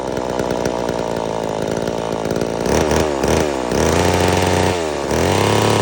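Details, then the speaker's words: Homelite Super Mini chainsaw that previously wouldn't run, rev or idle, now with the carburetor screw adjusted about a turn and a half. Crisp two-stroke buzz that bogs slightly into a big log and recovers cleanly: normal running under cut. "so the saw runs really well it cuts like butter I'm surprised on how well it cuts through that big log that I put in the video"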